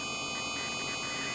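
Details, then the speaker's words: Dynavin M (MOST fiber) Android head unit installed in a Mercedes W211 E-class that originally had Harman Kardon Logic 7 with COMAND NGT1: a constant high-pitched whine with steady tones heard in quiet song passages and track changes; cause unclear, owner guesses a noisy component. "you hear that whne sound that whne sound is always there when a song is playing you don't hear it but if a if a quiet part of a song comes in you'll hear that sound"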